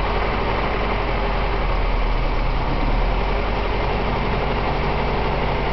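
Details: BMW 318is M42 at idle after Seafoam: a steady idle with an uneven, stumbling pulse about four times a second under a low drone, a misfire; seems to be running lean, cause unconfirmed.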